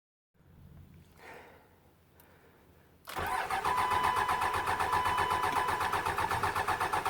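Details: Hard start on a Cummins diesel after rebuild: about three seconds of faint, drawn-out cranking, then it bursts into a steady four-per-second clatter; long cranking.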